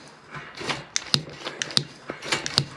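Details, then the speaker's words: Baja Warrior minibike with Predator 212 engine swap and CVT: irregular sharp plastic clicks about one a second as the twist grip is worked; throttle housing not fully reassembled, throttle may be failing. "so I'm going to put this back together this is still clicking up here I don't know if you can hear that"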